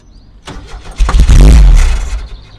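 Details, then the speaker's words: 1970 VW Type 2 Baywindow, 1641cc air-cooled engine, unstarted for about 6 months: a few slow cranks, then a short rough burst that fades, firing only on starting spray; suspected lack of fuel or fuel congealed in the tank. "yeah okay yeah definitely sounds like easy start only yep"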